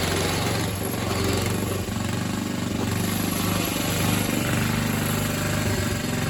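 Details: Old Atco Suffolk mower single-cylinder engine, with the clutch working after the wear plate adjustment. It pulls along at a steady, even beat with a deep thump and no knocks or misses; running healthy.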